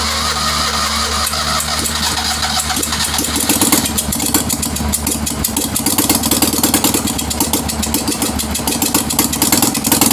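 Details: Citroën 2CV spare engine, first run after years of storage, on old oil, very smoky, being jump-started: an uneven, lumpy twin-cylinder beat that steadies as revs rise, sounding like it is clearing its throat.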